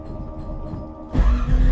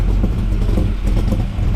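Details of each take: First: 1979 Camaro, 427 small block with solid roller big cam, 107 LSA and tunnel ram, on Flowmaster FX mufflers with tailpipes, started cold: lumpy uneven idle, bucking and popping. Owner suspects raw fuel through the cold intake causes the backfires; it settles once warm. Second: 1979 Camaro, 427 small block with big solid roller cam and tunnel ram, idling just after swapping the Flowmaster FX mufflers for Walker Ultraflows: deep, even low rumble without the raspy glasspack crackle; the exhaust note is healthy.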